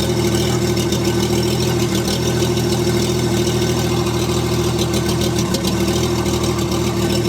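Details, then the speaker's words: STL1000 petrol engine misfiring since new from the crate, warm at operating temperature, running about 2000 rpm going down a grade then under load; steady but rough, uneven stumbling beat, fresh fuel didn't help. "Hear the missing. And this is going down a grade. And it'll go up a little bit. Hear the missing and poorly running."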